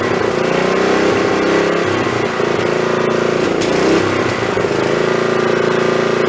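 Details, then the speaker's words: Snapper 3081 mower that died while mowing and wouldn't restart, running on a known-good spark plug: uneven, stumbling run with irregular skips, misfires and backfire pops. Owner suspects the failing magneto coil; ignition misfire. "so I'm gonna say that probably that coil is going bad that magnetron unit's bad has never ever misfired and backfired like that"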